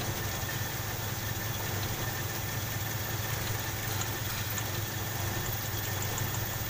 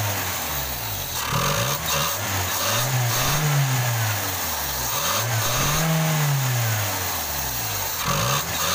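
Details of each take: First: Toyota Kijang Krista 5K/7K carbureted engine, complaint of stumbling and lack of power: steady idle with a faint uneven lope, one cylinder not pulling its share; dead-cylinder misfire. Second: Toyota Kijang 5K/7K after replacing the dead cylinder 1 spark plug and cleaning the carburetor: engine picks up and settles cleanly through light revs, no stumble; normal running.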